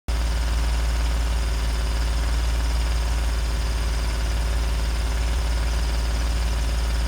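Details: 2017 Ford F-150 idling with a deep, steady rumble and rapid puffing pulse about three times a second from an exhaust leak.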